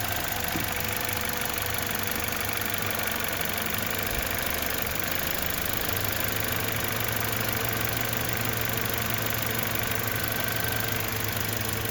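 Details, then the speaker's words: 2011 Toyota Corolla S idling stopped in gear, worse with A/C on, no check engine light: uneven lumpy idle with occasional shaking stumble; misfire on cylinder 2 traced to an intermittently faulty ignition coil pack. "you can hear it kind of shaking a little bit here and there"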